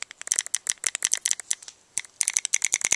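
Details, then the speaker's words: Etek 2 paintball marker after OLED Virtue board install, dry firing in semi-auto mode with eyes off and low battery: sharp, bright clicks in quick irregular bursts with a short mid-way pause; cycling cleanly. "you can hear the gun clicking away i'm not going to go ahead and set the ramping right now or anything like that"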